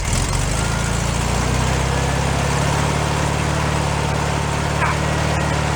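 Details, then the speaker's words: Rebuilt air-cooled flat-four in a 1965 VW sunroof Beetle, first start-up after fixing small carburetor fuel leaks: even steady idle, smooth low thrum, no knocks or rattles; sounds healthy. "sounds pretty good"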